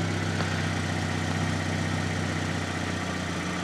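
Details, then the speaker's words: Fiat Panda 4x4 project, warm at 90 degrees, no engine management light: low, steady, even idle with no knocks or misses; engine healthy, exhaust full of holes. "The engine's ticking over nicely. The exhaust needs a bit of work."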